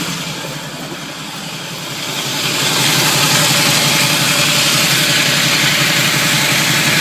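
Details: Camaro automatic at low idle: harsh, gritty grinding that grows louder and has worsened since starting, especially pulling away and shifting D-N-R. Flywheel teeth minorly chipped where the starter meets them, bolts tight; flywheel/starter/torque converter suspected.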